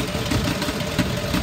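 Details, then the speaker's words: 2009 Ford F-250 XL, 55,000 miles, out of service with steady misfire, jump-started: rough idle with uneven thumps and small pops, shaking, won't rev past 1,500 rpm; cause not confirmed. "I can't get it to rep up more than that it doesn't go past 1,500 RPMs no matter how hard I accelerate it so there's definitely something wrong with it"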